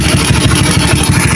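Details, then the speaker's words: Motorcycle with a freshly set PWK racing carburetor: steady, even single-cylinder idle settling cleanly after a throttle blip, mixture properly set; normal idle. "Nah untuk karbunya enak ya langsamnya ketika digas langsung turun itu menandakan bahwa settingannya sudah pas ya"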